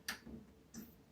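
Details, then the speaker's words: 32-inch Emerson LCD TV after power supply repair kit install (board BA17F1F0102), AC plugged in: two soft clicks half a second apart then quiet as it powers up, backlight comes on; normal power-up. "Oop, I hear it powering up. Hey, wait, I think I see backlight already. Yeah, that's a good sign."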